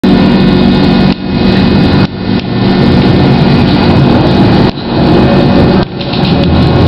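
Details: Riding aboard GT6M tram car 214, noise most noticeable at the start: steady low rumble under way with an odd droning hum over it; unusual traction motor noise, cause unclear.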